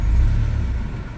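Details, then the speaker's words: Subaru with customer complaint of super low idle and stalling, idling in driveway: deep, uneven rumble sagging so low it nearly stalls, oil pressure light coming on, repeatable at idle; misfire also reported at upper rpm. "so this is pretty pretty repeatable of you know pretty much at idle it just wants to stall out here oh she almost stalled again"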